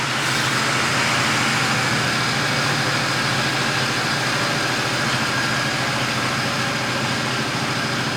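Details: Mazda RX-8 rotary that cranks but won't start: starter churns in an even rhythm of about two beats a second for over eight seconds, never catching. Throttle while cranking changes the tone; owner suspects plugs or insufficient fuel.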